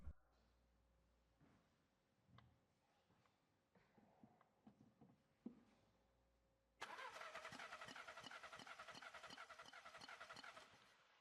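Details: VW Golf 7 crank-no-start: starter cranks steadily at about three compression beats a second but the engine never fires; the test lamp shows no supply voltage on the checked circuit.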